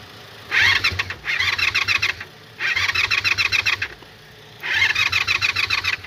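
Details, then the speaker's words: Carbureted motorcycle, gas put in the carbs, key now turned on: three short cranking bursts of even chugs about a second long, not yet firing; first attempt seemed about to catch before it ran. "That first time sounded like it was gonna kick over."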